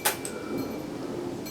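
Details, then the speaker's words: Victor RC-M70 cassette deck, non-working unit, in roughly 100-degree heat: a single sharp click, then only faint hiss and no motor hum; mechanism clicks but the tape transport does not start. "but I want to say I can hear the motor running, but I can't. So, I hear it go click. Clicked again."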